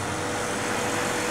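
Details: Homemade refrigerant recovery unit recovering refrigerant from an air conditioner: steady, unchanging hum and hiss with no knocks or rattles. The compressor runs evenly under load.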